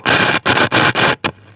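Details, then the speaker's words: Reel-to-reel tape recorder used as a microphone amplifier through its speaker: harsh bursts of crackling cut in and out four or five times, then drop to a quiet hiss; dirty contacts need contact cleaner. "Yeah, needs it needs contact cleaner. But, um yeah, I'll do that later."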